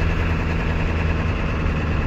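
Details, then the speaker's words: Ford 7.3 Powerstroke diesel idling in park or neutral with a rough, rapid clatter from the bell housing over the low rumble; also happens coasting to a stop, goes away in reverse. The noise has lasted for months, and the transmission is being pulled to find the cause. "let it off put it in park or neutral or when you're driving if you're coasting down to a stop this sounds pretty ugly"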